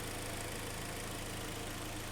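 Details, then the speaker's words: 2012 Hyundai ix35, G4KD petrol engine, front-wheel drive, 130,000 km: even, steady idle hum with no knock or tick on top after a small wire was reconnected; engine runs fine, normal idle. "проводочек подсоединили все заработало ну что двигатель работает все хорошо"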